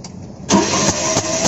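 Starter kicks in and turns the engine over in even pulses about three per second with no firing; cranking without starting.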